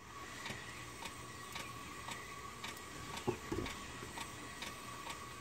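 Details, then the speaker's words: 1984 Corvette C4 rear wheel turned slowly forward by hand: light clicks about twice a second, and it is hard to turn backward. Owner also hears grinding when slowing and speeding up, and suspects the rear end. Clicking when the wheel is turned. "Okay, so now I'm going to turn it forward. You hear that? Click, click,"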